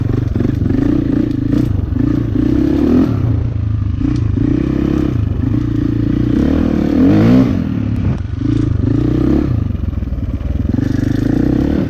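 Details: 2004 KTM 450 EXC four-stroke with Keihin carb, sat 6 years, after leaning the fuel screw to half a turn out. It pulls cleanly through short throttle blips and settles evenly, running normally; possibly still slightly rich off the bottom.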